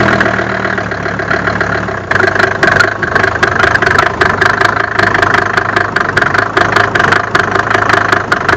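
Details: Mercedes OM605 diesel at idle: rough running with uneven, hard knocks about two or three per second over the diesel clatter; cause unclear.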